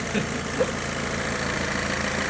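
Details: Mercedes Vito W639 diesel van that would not start, running after the fuel system was worked on: steady, even diesel idle with a regular low chug, no misses or knocks; normal idle.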